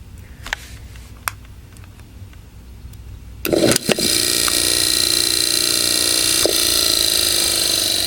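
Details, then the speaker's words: Antique General Electric AC motor from about December 1933, out of a Home Art window fan, with sleeve bearings and a new cord. After a switch click it comes up to a steady smooth hum with a faint whistle. The earlier squeak was the centrifugal switch. "this thing really kicks quite a bit already runs well this motor is very pretty heavy motor obviously"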